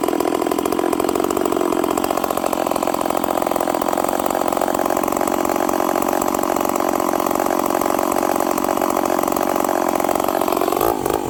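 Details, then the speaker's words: Stihl 038 Magnum chainsaw revs crisply but runs very rich and smoky coming back down to idle, with a high uneven burble and a little stumble off idle; leaning the carburettor makes it far too lean. "It sounds really rich. And then watching the footage, friends, I lean it out and it's way too lean. You can hear a little bumble, a little stumble off idle."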